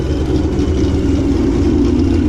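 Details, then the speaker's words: 2015 Mustang GT, ProCharger supercharged after pulley upgrade, manual; deep uneven loping idle with choppy pulsing rhythm and no knocks from an intentional ghost cam tune, engine otherwise healthy. "as you can hear we did a little bit of a ghost cam to it too"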